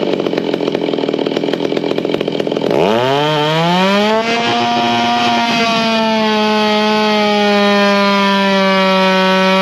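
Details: Race chainsaw with iron-sleeve cylinder replacing a plated aftermarket cylinder: snaps from a lumpy idle to a screaming wide-open run, with a blubbery four-stroke burble at peak; the rpm feels free and snappy.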